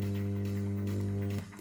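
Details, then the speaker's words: Loud, steady low buzz with a harsh, raspy edge, after clipping and weird noises, drowns playback on a 1995 JVC MX-D4T mini HiFi cassette deck after belt replacement; the fault is still unknown to the owner. "See, so you have and then suddenly, see, it starts clipping and making weird noises, and see, then it starts buzzing."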